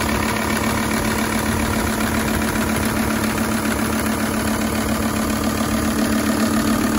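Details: High-mileage Volvo S80 project car, no dashboard warning lights, starts first time every time and pulls well; even, steady idle with a smooth unchanging beat, no knocks or misses: normal idle.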